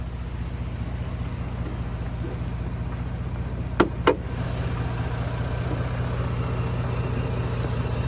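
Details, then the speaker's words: 2009 Jeep Grand Cherokee after dealer repair of low oil pressure following an oil leak fix, new coil fitted: steady low even idle hum, no knocks or ticking, a couple of brief clicks; sounds good and quiet, some smoke seen. "and it sounds good it sounds quiet"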